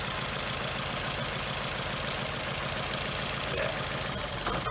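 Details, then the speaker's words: Nissan Altima petrol engine idling with a steady low pulse and slight unevenness; unplugging this cylinder's coil changed nothing, marking it the bad cylinder: misfire, more than likely from a bad coil pack. "this one didn't change at all right so that is obviously your bad cylinder and that's what we're focused on right now so more than likely it's going to be a bad coil pack"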